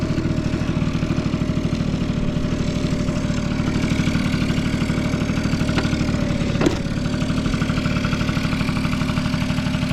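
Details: Vintage Honda Squash (AB11-1064) 12V moped with electric starter, running test: small single ticks over at a steady, even idle with no knocks or rattles; no abnormal engine noise, quiet and healthy.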